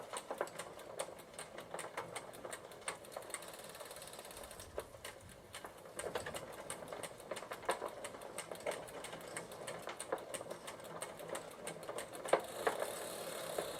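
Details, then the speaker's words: 1993 Gazelle Speciaal bicycle pedalled on the stand in third (top) gear: uneven ticking and clicking following the crank instead of a smooth freewheel purr; rough running, cause unconfirmed, owner suspects the chain may need loosening slightly. "there are definitely some weird noises coming from third gear"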